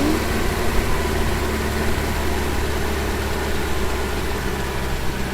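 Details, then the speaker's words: Volvo 245 restarted after a fuel tank replacement: a steady, even idle running a touch fast, easing lower as the idle speed is adjusted down; otherwise smooth. "je retire un peu de régime de ralenti"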